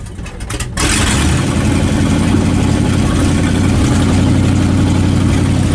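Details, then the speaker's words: 1967 Dodge Dart after 5+ years sitting, first start after throttle pumping, open headers: short crank then loud, even, deep rumble with no knock; healthy idle. "she idle idle I don't she's running oh yeah office she's running now got it a Roger sounds nasty"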